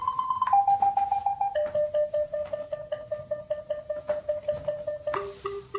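Steady chain of clear electronic beeps, about two and a half a second, pitch stepping down as the obstacle nears; sensor working properly.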